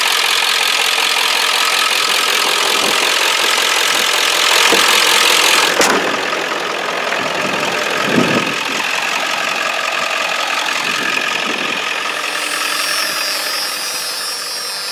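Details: 1995 Ford F-350 7.3L Powerstroke turbo diesel with a new starter, new alternator and two new batteries, started without touching the throttle: steady, even diesel clatter at idle with no missing or uneven beats. A healthy idle.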